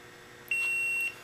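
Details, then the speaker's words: SPDT relay bench test, relay at rest: the multimeter on continuity, probing ground against each actuator terminal, gives one clean high beep of about half a second in a quiet room. The continuity beep confirms the terminals rest at ground. "and then we'll connect one probe to ground and the other probe to each side of the actuator. And that does indeed verify that we do have ground."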